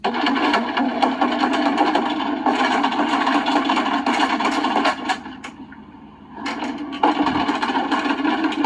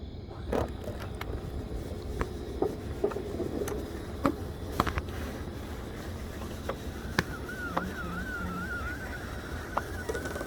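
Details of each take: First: 2004 Country Coach motorhome with HWH slide-out system: harsh grinding with sharp wood cracks and pops as the slide comes in while not level, easing briefly then resuming; the slide roller is off its track, chewing the floor. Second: 2004 Country Coach HWH slide with Brustor awning topper retracting after penetrating oil on the topper hinge pivot: steady wavering motor hum with light clicks, no grinding or binding; now working much better.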